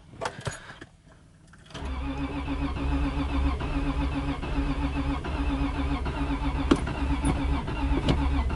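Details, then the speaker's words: 2004 Subaru Legacy Outback that wouldn't start this morning, now cranked later in warmer weather and heard from inside the car: steady starter churning about 2.5 beats per second, never catching. Owner wonders about the battery. Crank, no start. "It wants to start so bad, right?"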